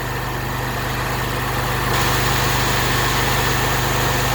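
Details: Honda small engine on fire-department Polaris UTV pump skid, first start without pre-run, half choke: even steady idle pulse about three and a half beats a second, no misfire or surging; healthy running.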